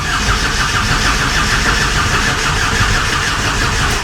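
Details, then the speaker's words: TDI-swapped Toyota Tacoma on its first cranking attempt, battery on a charger, cranking to build oil pressure for the turbo: rhythmic starter whirr without firing, slowing as the high starter current drains the battery. "uh it's already dying that's what i figured it probably happened with pulling so many amps"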